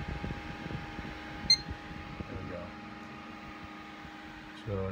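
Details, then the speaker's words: Threadripper PC on an Asus Zenith Extreme motherboard with two RAM sticks in the first two slots: one short beep, then fans spin up to a steady whir; normal boot, whereas four sticks give a three-beep code and no boot. "we're booting up so the big question is is why is this continuing to happen"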